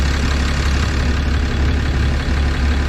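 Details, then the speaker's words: 6.7 Cummins with 859k miles on factory injectors, idling during cylinder tests: heavy diesel idle with deep, slightly uneven clatter over a low rumble; knocking heard, bad injectors suspected. "we're at 177 it's not going to get any higher but man I hear some knocking in"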